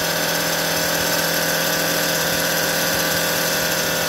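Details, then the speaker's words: 2005 Honda Odyssey at idle, fluid level fine and no leak: big, steady moaning whine over the engine from a failing power steering pump, worse when steering left or right; fixed by replacing the pump. "let's start the car you hear that morning sound it's a big wine this is the power steering pump right here this one"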